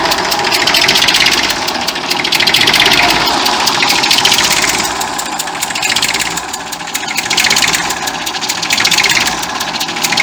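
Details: 1959 Fordson Dexta diesel tractor at idle with a sharp, hissy puffing tick about three per second; exhaust manifold leak at the injector area, with the water pump also audible at the front.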